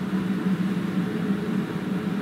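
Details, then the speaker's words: DIY waste-oil burner heater (old steel water tank body, central heating boiler fan, 12V diaphragm pump) warming up before oil pumping starts: steady low roar with an even hum, no gurgle or pulsing; normal. "Right, it's starting to get warm in there. Don't know if you can hear it starting to roar."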